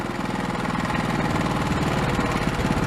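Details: Old Honda small engine, sat unused for years and previously running only on starting fluid, now idling after repair: steady, even putter with no misses or knocking; normal, healthy idle.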